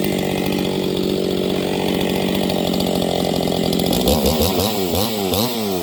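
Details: Husqvarna 268XP chainsaw during slow break-in on early cuts in wood: pitch rises and sags unevenly in the cut as engine speed surges, like a new engine still loosening up.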